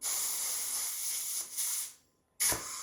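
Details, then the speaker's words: Front-engine dragster motor, stored about 30 years, on a leak-down test with stud girdle and rockers removed; loud steady rush of escaping air, about 85% leakage, something suspected sticking. "I one right now like 85% there's got to be something sticking there"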